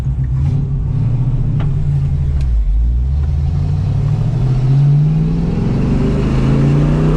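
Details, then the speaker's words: 1968 Ford Mustang 302 V8 on the road with new JBA tri-Y headers, X-pipe and dual exhaust; downshifting and slowing, the burble falls smoothly, and the earlier popping and backfire on deceleration is gone; normal exhaust on deceleration. "And uh that is gone now. It sounds like a muscle car. Now it does sound more like a modern 50 than it does an old school muscle car."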